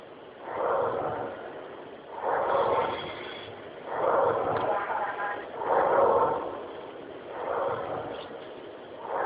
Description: When I put my ear to the speaker I heard this sound. I decided to put the volume up and it got even weirder.